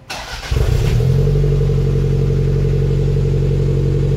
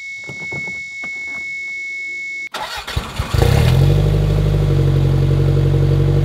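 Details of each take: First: 1991 Toyota MR2 Turbo bought rough, fitted with a 2nd-gen 3S-GT turbo engine, a non-original turbo and homemade wiring. Quick starter whirr, then it fires at once and settles to a steady, even idle with no knocks or misses; a healthy start. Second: Toyota MR2 Turbo with 3S-GT engine, slightly overheating, started with sticky key: after a chime it cranks briefly, fires and settles into a loud, somewhat uneven low idle; engine runs rough.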